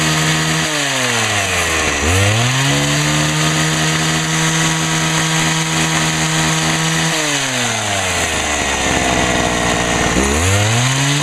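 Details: Homelite HT-21 hedge trimmer two-stroke after carburettor rebuild, no adjustment needed: starts, revs cleanly, holds a steady high buzz, drops back and picks up again; runs well and quietly with its small muffler.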